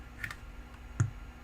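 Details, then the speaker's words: Apple HomePod unplugged from power: a couple of light clicks, then a loud single deep thump from the speaker, the "death fart" caused by amplifier DC offset, which needs repair. "oh yeah that's a loud pop and that needs to get fixed"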